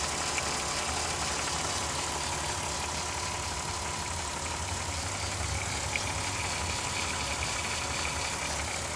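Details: 2002 VW Jetta V6, 158k miles, P0321 and P0322 codes, crank sensor replaced, idles with an uneven flutter and faint slowly wavering high whine; source not pinned down.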